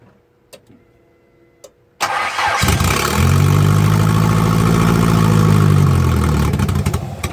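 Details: Turbocharged engine after an exhaust leak repair: quiet, then the starter catches, revs briefly and settles into a smooth steady idle with no puffing or ticking; healthy start.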